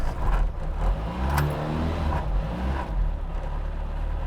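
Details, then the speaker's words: Classic Mini Cooper with Specialist Components twin-cam 16-valve BMW K-Series aluminium head, individual throttle bodies, crank-fire ignition, hot and fully tuned: deep crisp note picks up cleanly on throttle and settles evenly; strong, smooth, healthy revving. "We've got it all dialed and she is singing and hot."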